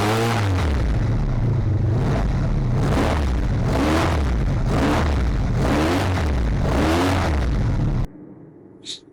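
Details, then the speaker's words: 1985 Honda VF700F V4 after carb rebuild and new pulse generators, first run: repeated throttle blips rise and fall cleanly, idle returns right down without hanging; mixture judged neither lean nor rich; later overheated from cooling fan problem. "good idle comes right back down so I don't think it's lean I don't think it's rich"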